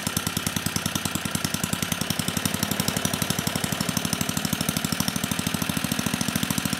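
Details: 34-year-old Tecumseh H30-35387Y on a Troy-Bilt Tuffy tiller 12060, previously no compression, running on a clone carburetor awaiting final tuning: rapid even firing pulses at fast idle, no knock or misfire; running properly.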